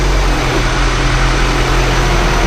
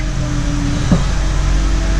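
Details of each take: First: Honda CR-V at idle after replacing power steering pressure line O-ring(s) and topping up fluid: smooth low rumble, no pump whine or groan; noise gone. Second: Honda CR-V power steering pump whine, loud and worse when hot with steering; steady mid-pitched moan over engine hum from air drawn past worn pressure line O-ring, fix is replacing the O-ring.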